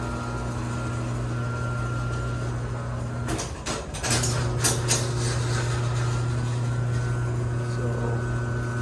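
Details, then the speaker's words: Chain-drive garage door opener run with the trolley unlocked after the door partially closed, banged and dropped: steady motor hum and faint even chain whir, no grinding apart from a brief clatter midway, running normally. "Well, right now it's unlocked, so you can see the chain is moving, which is a good sign. It's a very good sign."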